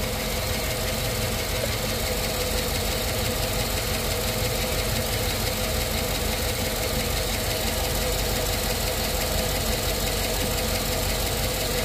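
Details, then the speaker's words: Quick, light lifter tap about three a second over a steady V8 idle on a GM AFM engine, right after adding Prolube oil additive. It is still tapping after a couple of minutes. "got a little bit of that lifter tap going on and I happen to get some of this stuff in so I said why not"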